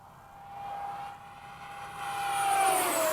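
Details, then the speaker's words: Freewing 70mm F-35 ducted fan jet on 6S 30C 5000mAh pack, gear up in flight: high thin whine dropping in pitch on flyby with a rough edge; fan is a little chipped. "I can hear it. I can tell that fan's a little chipped. I can hear it too with the."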